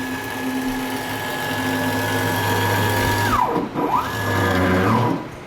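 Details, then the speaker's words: Grizzly G0602 CNC lathe conversion, Mach3 Turn motor tuning of the stepper: the tone sweeps as the axis reverses and turns rough and growly near top speed. The velocity is set too high, so it is lowered to 75. "well you can see that threading see how it's am getting a little weird noise"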